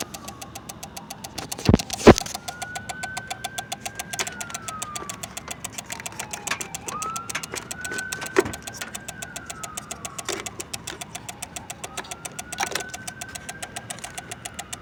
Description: My fuse box is making noise when the car is off is that the reason why my battery is dying up on me somebody please explain to me what the heck this is about.